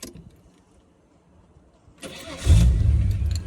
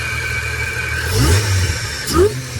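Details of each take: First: L67 engine just restarted: cranks and catches, then settles to a rough idle with a faint light tap about four times a second from the front; seller suspects timing chain backlash from the balance shaft, unconfirmed; engine ticking. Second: L67 supercharged V6 in a replacement engine with an intake and charger setup, where the seller claimed timing chain backlash from the balance shaft: steady idle with two crisp throttle blips rising and falling cleanly; normal, healthy revving.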